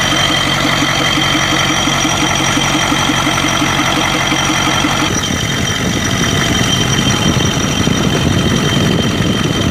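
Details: 1992 Ford 7.3 IDI diesel idling rough with an uneven clatter and knock and an irregular stumble. It has a random misfire and blowby that come and go. Teardown found broken second piston rings on two pistons and one bad valve guide.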